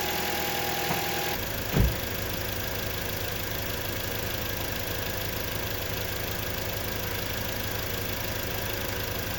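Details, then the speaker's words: 2011 Toyota Corolla S at idle in Drive, A/C on, parking brake set, after replacing faulty intermittent cylinder 2 coil pack: one thump into gear, then steady even idle under load, no stumbles or misfire; normal idle. "okay guys guys so I replaced the coil pack and it didn't misfire"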